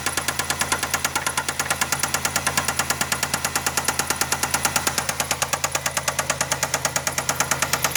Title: Bad rod bearing?